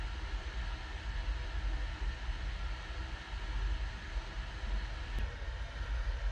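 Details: New 1/3 hp sump pump with a Quiet Valve check valve, replacing a worn 20-year-old pump with bad bearings: low steady hum, no banging or thumps at the valve; quiet normal operation after replacement.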